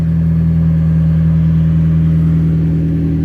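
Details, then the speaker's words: Mazdaspeed NB Miata just after Walbro 255 HP fuel pump installation, first start; steady even engine drone with no pump whine; normal idle. "there that started like right up and this is a walbro 255 HP pump and I don't hear no whining or anything sounds good to me"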